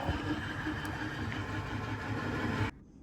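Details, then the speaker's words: Surveyor camper slideout electric motor switched on: a steady, even whir with no strain, then cutoff. The motor spins free without moving the slide because its push rod is disconnected. "so I got the motor on and the motor will run but I couldn't figure out why it wasn't pulling the slide in or pushing it out and it looks like that this Rod which is what the motor pushes in and out was not connected right here"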